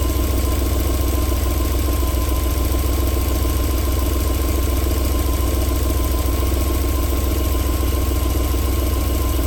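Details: 1994 Alfa Romeo 3.0 24v QV V6, cold start-up with a steady, smooth low idle and no tapping or misses over the hum; a normal idle, though knocking returns after about 4 minutes.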